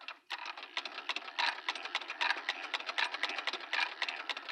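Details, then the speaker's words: 1916 Singer 66-1 in a 66-3 bed driven by a hand crank: a fast, even clatter of stitches with a gritty rasp under each turn. The hand crank's gears growl and need opening up and re-greasing to make it quieter. "That's called a growl, when that starts to growl. And what I'm going to do is put in the information section a link to Helen's website, and it's how to open up a hand crank, re-grease it, put it back together, and make it quieter."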